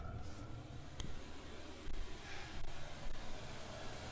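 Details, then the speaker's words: Diesel air heater newly installed under the bed of an ambulance camper conversion, ramping up after its first successful start: steady low combustion rumble with an even blower roar and no knocking; normal running at high output. "yeah it's cooking now Wow how do you turn the temperature down Wow success we've got a heater"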